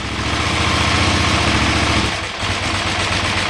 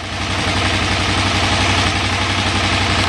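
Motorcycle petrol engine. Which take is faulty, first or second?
first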